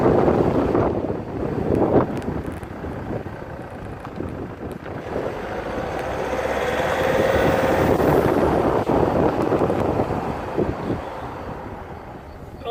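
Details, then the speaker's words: Land Rover Freelander 2 SD4 2.2 diesel on a road test after fixing a boost leak in a reused hose. It pulls smoothly and rises evenly under load with no hiss or whoosh, only wind and road noise; the noise is gone: normal acceleration. "but the noise is definitely gone and indeed was just a boost leak in that hose that we kind of reused"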